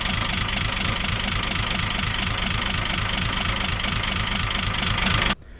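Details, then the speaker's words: 1975 Chevy stepside with Isuzu 6BB1 5.4L diesel, injection pump rebuilt by owner; uneven lumpy idle with skipping beat, likely firing on only four cylinders, cylinders five and six running cooler. "And just the fact that it stalls with one injector loosened leads me to believe that it's may be firing on just three or four."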